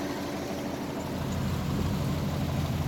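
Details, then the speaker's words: GM V8 with about 25,000 miles, after seizing from an oil cooler quick-connect failure and being revived: a deep, steady, even idle that sounds like all eight cylinders are firing, still smoky. A screech now occurs only in reverse, which the owner suspects is the thrust bearing. "It sounds decent now. Halfway decent. Sounds like it's firing on all 8."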